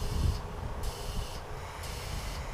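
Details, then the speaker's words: Truck DEF injector removed into container during scan-tool DEF override pump test: low steady pump hum with soft spray hiss switching on and off about every half second; pressure 123–139 psi (spec 108–140), normal dosing. "So our test is active. You might be able to hear the pump running, but this shows you it's at 139 psi."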